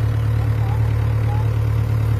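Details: Yanmar B6Z mini excavator (0.25 class), privately used: steady low diesel chug at idle, even and unbroken with no knocks or misses; engine sounds healthy.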